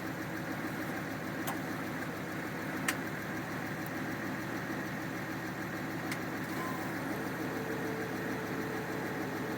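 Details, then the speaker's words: 1967 Ford F100 with 5.7 Hemi fitted with Eagle heads and pistons, first start after new coil drivers: quick even ticking over steady idle, heavy valvetrain noise, pushrods suspected too short, smoking as oil burns off exhaust. "it seems to be running really well it's definitely got a lot of valve train noise um I'll have to pull a valve cover off and make sure those push rods are the right lane they might be a little short"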